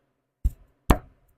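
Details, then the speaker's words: 1915 Model T stationary engine turned slowly by hand: two dull, heavy clunks as the crank pin pulls down on the rod cap, a worn connecting rod bearing knock. The owner guesses 4–6 thou of clearance. "There it is, clunking clunk. If on the way down I can make the noise because now uh the crank pin is pulling down on the cap, right?"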